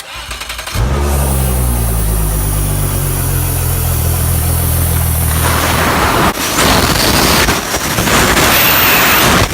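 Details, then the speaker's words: Mercury Verado 250 outboard at start-up: settles to high idle with a thin high hiss from air entering where the isolator boot lost its seal, a vacuum leak also causing shift actuator fault; fixed by replacing the boot. "the problem is that this right here is lost the seal so there's air getting into there and it's what's causing that hi item"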